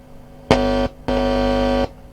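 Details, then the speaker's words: Hacker Herald RP30 transistor radio after capacitor replacement. Touching the wiper of the volume pot gives a steady low buzzing hum in two bursts from the speaker. This confirms the audio amplifier is working. "okay it's plugged in and we've got speaker hum again touching the wiper of the pot I think I think it's that"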